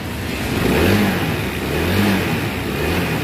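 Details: Newly bought 2023 Honda Vario 160 with a rough engine sound: revs rise and fall with a coarse, gravelly roughness under the engine note, and loose timing also adds noise; the piston is scored.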